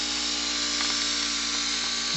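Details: Cheddar Pintail live steam unit, tiny engine about 2 cc, ceramic burner, from a boat to restore, first test: fast, even high-pitched buzz and steady hiss with no stumbles; runs perfectly.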